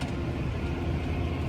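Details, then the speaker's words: Tractor mowing thick, heavy triticale at 6 mph instead of the usual 10: deep, laboring engine drone that doesn't pick up; the mower is bogging under the heavy crop. "Normally, I mow about 10 mph. I'm mowing six. I can hear it bogging the mower"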